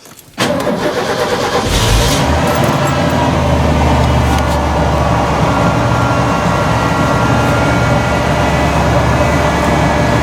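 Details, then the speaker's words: 1991 Ford F-150 with 300 straight-six, exhaust missing, started about once a week: quick cold crank catches almost instantly, then steady even idle with no knocks or misses; normal cold start. "doesn't usually have much of a problem starting up since i do try to fire it up at least once a week"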